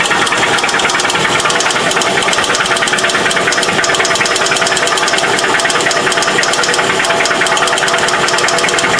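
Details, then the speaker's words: Toyota engine with VVT-i that clanked for five years, metal filings found in oil pan: loud hard clanking about three times a second at idle drowning out engine; severe internal knock, engine dead. "that would be a death rattle right there. Is it even idling at normal speed? Well, it's like 11. Oh, it is. You can't even hear it over the clank."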